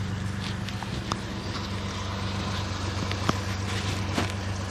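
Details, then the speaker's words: 1967 Jeepster, Buick 225 V6, ME Wagner adjustable PCV, suspected intake manifold gasket vacuum leak, mixture set rich; microphone near exhaust; steady idle with occasional stumble every second or so; intermittent misfire at idle, probably one cylinder still lean. "the That miss is probably because one cylinder's still a little bit lean. So I've basically made everything a little bit rich, which means some of the cylinders are going to be richer, too rich."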